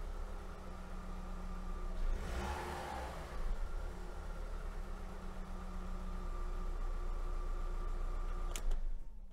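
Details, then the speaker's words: Audi A2 1.4 16v AUA petrol, first start after cleaning the throttle body and its 3/4-clogged EGR flange and running adaptation: cranks, catches, settles into steady idle with no hunting, unlike the earlier jumping idle. "okay so first of the observation is quite positive because uh before when i turned it on the minimum was not really fixed it was a little bit jumping so now it is quite okay"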